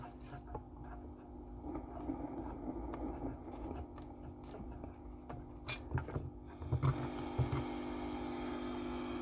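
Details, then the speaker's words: Mid-1960s Dallas Scala single-ended tube guitar amp after rewiring tubes and adding virtual center tap: turned down, nearly silent with only a faint low hum under handling noise; hum now much reduced and normal. "that's tons quieter now than it was before and that we've just got that at menial volume there's a little bit of harm on it but when you consider just how this is laid out it's you know it's a wonder it's even that quiet"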